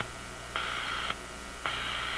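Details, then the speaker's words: Zenith G615 tube radio (chassis 6G05), no antenna: two half-second buzzy high-pitched bursts over the hiss, about a second apart; RF interference from a sleeping office computer's power supply about 20 feet away. "And apparently that's the power supply in my sleeping computer."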